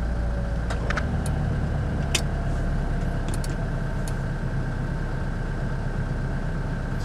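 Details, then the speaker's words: 2021 Toyota Hilux single-cab 4x4 at idle, mic near the floor by the actuator motor, as the 4x4 button is switched on: light irregular tic-tic ticks over a low idle hum; normal 4x4 actuator engagement. "Tô escutando o motorzinho trabalhando daqui de dentro. Dá pra escutar a música de tic-tic-tic-tic, ó."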